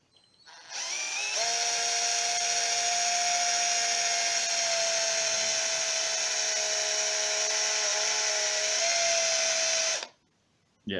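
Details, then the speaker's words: Aldi Workzone 18V cordless drill, motor burnt out by overworking it with a wire wheel on rust; smoking and sparking inside. No load, constant speed: steady high whine with a hissy, rough top end. Burnt-out motor, later replaced with an RS550 12-tooth motor. "we got quite a lot of smoke coming out of that drill now"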